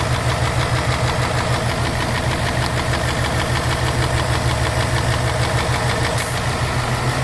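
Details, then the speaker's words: 2018 Ford Mustang GT Coyote V8 at warm idle with custom cold air intake: a sharp, even clapping tick about three times a second that stops when the IMRC connector is unplugged; intake manifold runner control clapping, not a rod knock. "that is something going on with that imrc that's just the way it functions because the bar runs great but that sounds like a ticking in itself and can be kind of mistaken for some knocks"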